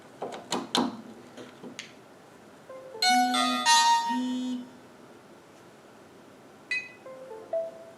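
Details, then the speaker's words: VeriPic 1 body-worn camera being plugged into its charging dock: a few clicks as it seats, then a clear tonal chime confirming a good connection. "A connection tone sound will indicate that a good connection has been made."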